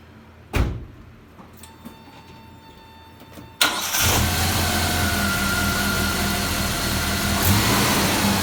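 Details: 1987 Dodge Power Ram 50 4x4, 2.6L Mitsubishi Hemi with factory Mikuni carburetor, 100,000 miles, dead cold after a couple days unused: catches at once into a steady, even fast idle; healthy cold start.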